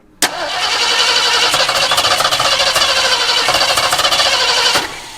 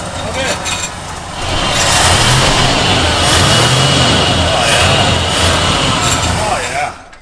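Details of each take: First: Mid-1970s Ford Ranchero parked for a number of years, cranking about four seconds after fueling: uneven random firing pops that never catch; inconsistent ignition traced to spark plug wires off by one position, cap and rotor clean. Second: Ford Ranchero parked long-term, ignition timing off by one corrected by moving the plug wires one position: engine catches and runs strong with a steady even beat swelling with revs, no misses or knocks, oil light goes off; normal running.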